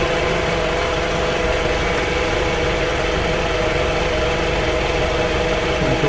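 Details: 2004/2005 Toyota Camry after no-crank, no-start repair: steady, even idle with a smooth hum and no knocks, misses or rattles; engine runs cleanly at rest, normal idle.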